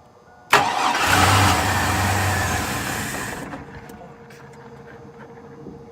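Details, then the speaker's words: 1999 Chevy Blazer, 141,000 miles, after starting fluid was sprayed in: cranks, catches at once, runs rough about three seconds, then dies. Owners suspect no fuel delivery, fuel pump or fuel pressure, not confirmed. Starts briefly then stalls. "It starts and no, it may not be that it's empty. It's that it's not getting fuel delivered, whether it's the fuel pump or whether it is the fuel pressure."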